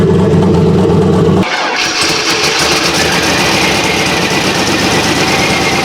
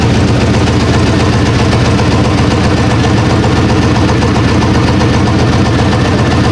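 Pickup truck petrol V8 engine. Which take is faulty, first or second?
first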